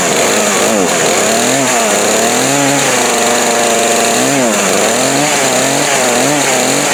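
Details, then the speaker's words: Craftsman 18-inch 42cc chainsaw, bought new around 2013–2014, stored about five years, running on old gas after choking: revs rise and fall cleanly with a crisp, even buzz and no sputter. It runs healthy. "no short video but anyway it still runs I can't believe it runs on that gas"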